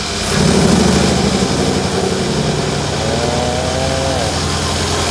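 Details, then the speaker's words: Circa-2012 Mercedes W212 E63 AMG V8 idling with an injector wire unplugged: uneven, rough beat with stumble and vibration as cylinder 8 fails to fire; engine check light and misfire code, weak compression suspected on cylinder 8. "그러니까 두 가지죠. 차주 입장에서도 없었던 경고등이 발생이 되고, 두 번째로는 차가 없었던 진동이 생기는 거죠. 부족. 그러니까 해당 실린더가 연료를 쏴도 폭발을 못하니까."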